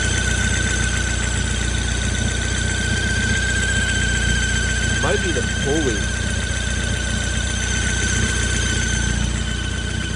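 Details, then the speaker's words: Ford Focus ST with custom sidewinder turbo kit and T51R, engine running: thin steady high squeal that doesn't shift with idle, from boost pressure escaping the system; source not pinpointed. "That's the sound it makes. All right, yeah, that's pretty bad. So, and that's just pressure trying to escape the system."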